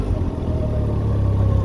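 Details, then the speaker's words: Can-Am Ryker 900 three-wheeler pulling away in forward gear on light throttle at walking pace in a parking lot: low, smooth rumble rising gently, even firing, nothing rough; normal low-speed running. "see we're not going fast we're just going slow since we're in the parking"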